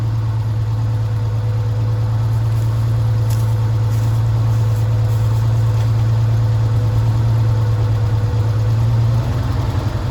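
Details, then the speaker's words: 1978 Chevy C10 base 2WD, carbureted straight six with Monojet, automatic: smooth steady idle, even low hum, slight dip near end, no misses or knocks; idle fine though it hesitates under load. "I'm gonna shut up for a second and let y'all listen to this Sweet Straight Six song."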